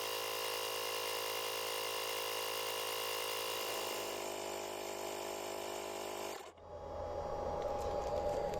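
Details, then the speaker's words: Profiline booster's built-in tyre inflator compressor pumping a wheel from zero toward a set 2.2 bar: steady buzzing motor hum with even whine, no knocking or stalling; running normally. "натискаємо ось цю кнопку на он відповідно компресор починає качати"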